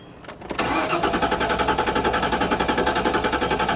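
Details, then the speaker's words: 1998 Ford Explorer with about a quarter tank, theft light out, good oil pressure: strong, even cranking about 220 beats a minute that never fires; no start because the fuel pump has failed. "It shows about a 1/4 tank of gasoline. It cranks. Yeah. It sounds healthy."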